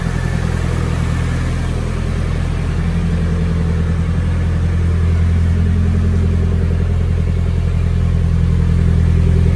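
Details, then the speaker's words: Nissan 240SX S13 SR20 after freeing seized fuel injectors: deep, steady, even running with a smooth low drone and no misses or ticking; normal running. "cannot believe it was just the injectors were completely seized but yeah as you can see they're unstuck and it is running running quite well"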